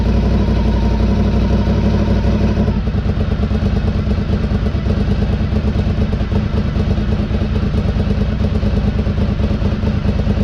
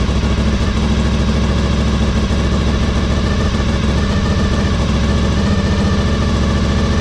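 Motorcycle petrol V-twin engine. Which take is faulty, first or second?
second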